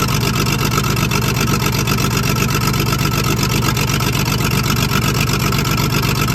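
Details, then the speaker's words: Old loading shovel diesel, abandoned 18 years, first revs after restart: a steady run with a recurring uneven beat. A sticking valve hangs slightly open and does not seat, though it does not hit the piston. Coolant is leaking at a clamp, and the rocker cover is due off. "yeah you can hear that valve is open it's obviously not a huge amount because it's not colliding with the Piston um but it's enough that it's not seating correctly"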